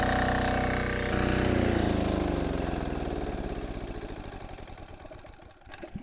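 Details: MEP 531A/501A military diesel generator after priming fuel system, contactor closed to apply load: even thump, brief bog as load comes on, then settles and winds down smoothly, little stutter. Normal running under load.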